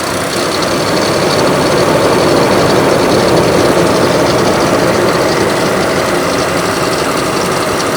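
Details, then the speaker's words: 2006 Ford Explorer XLT petrol V6 idling with a dense, uneven mix of clattering and clacking from oil starvation. Light knocking comes from the bottom end and clatter from the top; all the bearings are suspected worn and the engine is broken in multiple areas. "I'm gonna let it idle for a few seconds and you can just hear, there's not just one or two noises, it's a plethora of multiple things clattering and clacking. It's really bad."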